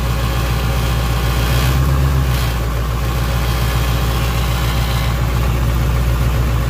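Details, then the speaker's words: 1988 GMC 7000, 8.2L naturally aspirated Detroit diesel, running again after a died-while-driving crank-no-start was fixed: deep, even idle rumble with a regular beat and no misses or knocks. "whoo listen to that Detroit power"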